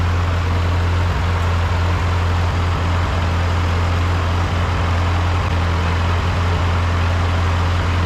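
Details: Rebuilt Ford 8N tractor on first start after rebuild, battery weak with jumper pack: deep steady low rumble at constant pitch, no knocks, misses or hunting; healthy smooth idle.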